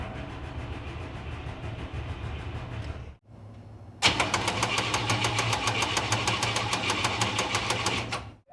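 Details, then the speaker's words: 1956 Cadillac just after the starter was installed: cranking at roughly three turns a second with a sharp regular click on each turn. It sounds better than before but still odd; starter clicking while cranking. "It does sound better. It still sounds odd, but it sounds better. There's like a clicking noise."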